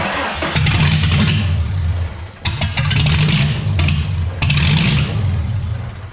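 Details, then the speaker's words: V6 Mustang first start after work with power steering and water pump removed, very loud: idle surges in uneven bursts about every two seconds and runs rough; owner suspects vacuum leak and EVAP issue, possibly only some plugs firing. "this whole EVAP system 8 ain't like and it kind of sounds like I have another vacuum leak let's try that"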